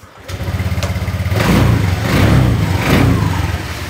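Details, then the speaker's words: Honda fuel-injected motorcycle after resetting stored ECU fault codes with an SCS connector at the DLC: starts promptly and settles into a steady single-cylinder putter with a couple of light blips; idle sounds even and healthy. "dan motor kita Nyalakan insya Allah akan normal kembali"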